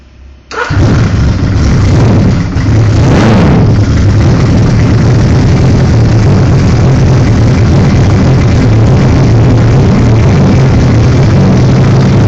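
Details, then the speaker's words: 1978 Suzuki GS1000 with Magnum turbo kit: catches within a second of cranking and settles into a steady, even burble with no misses, knocks or rattles; normal start and run. "I'll go ahead and try to start it for you real quick so you can hear it run"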